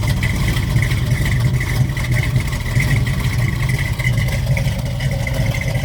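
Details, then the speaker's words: 1969 Ford Mustang Mach 1 during pre-purchase inspection, just after startup: deep, even V8 burble with steady beat, no misses, knocks or ticking, no smoke, not rich or lean; normal idle. "The owner's going to fire it up. Starts right up, sounds good. So there we go."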